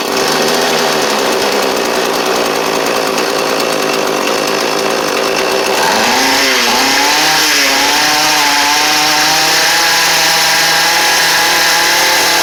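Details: Small two-stroke edger, started with the choke on after a carburettor attempt: buzzes steadily at a high pitch, then the tone rises and settles into an even run. Healthy running.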